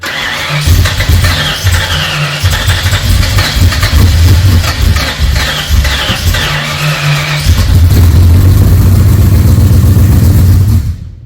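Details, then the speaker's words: Freshly rebuilt Ford 302 Cleveland V8, Holley Sniper injection, first run: fast idle with deep, steady burble, no lifter ticks or rattles; owner won't know until idle is dropped. "But I've got no ticks or rattles in it at the minute from the lifters, which is good. I won't know until I drop the idle right down."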